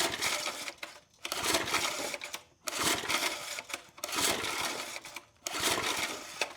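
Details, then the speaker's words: 1980s McLane reel mower, unrun for years, air filter removed, full throttle (no separate choke): repeated recoil pulls with ratcheting whir, no firing; has compression but won't start, starting fluid next. "All right, it does have compression, so what I'm gonna do is shoot all that down its throat."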